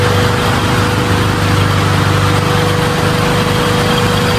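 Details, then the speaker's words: Honda Civic VTi idling with the AC on after a fix of spark plugs, settings adjustment, electrical troubleshooting and ECU check. It used to stall when the AC was switched on. Now a steady, even idle with no stumble or dips; very smooth. "Bukas aircon. Ayan o. Smooth. Nakabukas aircon. Sobrang smooth."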